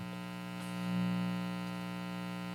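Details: Hallicrafters S-38A receiver with isolation transformer removed and a fused, filtered 3-wire cord, antenna disconnected, volume all the way down, microphone on the speaker: a steady low buzz; residual mains hum still needs more reduction.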